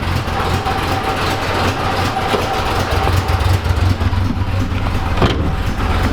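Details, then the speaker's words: 1986 Chevrolet Camaro IROC-Z V8 after exhaust system repair: deep, steady rumble with an even low beat and no puffing or ticking; the exhaust leak is about 99% fixed, maybe a small leak remains. "there you go sounds like that took care of it so i don't hear anything over here anymore"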